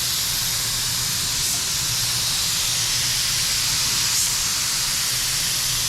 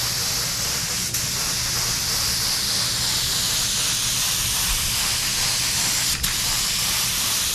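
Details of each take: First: DeVilbiss FLG4 paint gun after the suspected clog dissolved: steady, even hiss of air and paint with no sputtering or spitting; atomizing cleanly and spraying normally. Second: DeVilbiss FLG4 spray gun laying paint on a '69 Charger: hissing, pulsating spray with sharp spits. Adding reducer didn't help; owner suspects a clog, paint too thick or low pressure.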